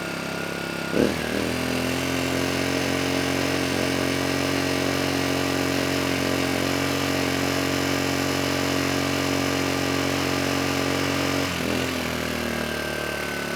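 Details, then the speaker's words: Kipor KGE 1000Ti inverter generator after refitting the airbox, which richened the mixture: it picks up after a clunk and holds an even, steady drone with no surging, eco throttle on and off. Normal running after the fix. "And that did it. Adding the airbox did richen things up just enough so that now the engine's running smooth, both with the eco throttle on and off."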